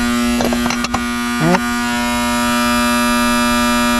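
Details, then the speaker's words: Loud, steady electrical buzz and chattering from the AC condenser unit's contactor on a 2022 air-conditioning system during a leak search, heard over the condenser hum with a few clatters early on; the contactor should be replaced. "Oh, he left it upside down. The contactor is so damn loud. I recommend replacing that."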